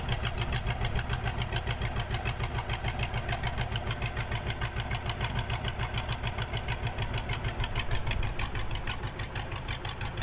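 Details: KAMAZ diesel on first start after a major overhaul: steady clatter with even firing pulses around two hundred per minute, no misses or knocks; healthy idle.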